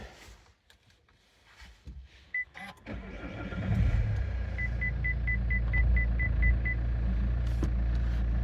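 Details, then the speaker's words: Saab 9-5 NG with A20DTH diesel, 302,000 km, original turbo, after no-boost repair cleaning the VNT vanes: short crank, catches at once, steady even idle under a dash chime; starts and runs normally. "it's done a lot of kilometers so yeah uh that's it uh the car runs fine starts runs"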